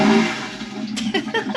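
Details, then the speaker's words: Toilet (head) on a 2010 Navigator motor yacht liveaboard: loud droning pump motor followed by gurgling, sputtering bursts as it flushes; noisy enough to wake people at night. "quiet systems the head if someone has to use that at two o'clock in the morning it's a wake-up call yeah especially when you still have to go to work you know you need a good night's sleep and if you've got super noisy heads well just listen to this thing"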